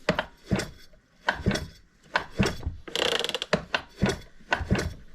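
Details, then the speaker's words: Old McCulloch Mac 610 chainsaw from a garage sale, untouched as bought, slow hand pulls: steady ratcheting tick with even puffs each stroke; compression fair. "oh compression's not too bad you see that"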